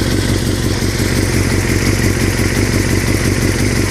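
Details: 2003 Yamaha R6 at idle, rattling since a recent trip to Europe: loose, uneven clatter about three per second; owner unsure if normal or if performance is affected; engine rattle at idle, cause not found.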